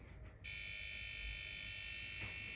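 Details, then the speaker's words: Early Bally solid-state pinball sound board: logic probe on U1, pin 11; a clean, strong, steady high tone switches on and holds, showing good pulses. "oh that's making some decent Noise"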